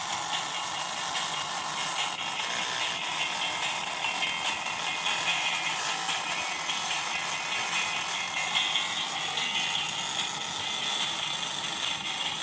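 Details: Laptop speakers after a motherboard repair: thin, fizzy, crackling playback with almost no low end and harsh rattle; both speaker cones found torn at their edges.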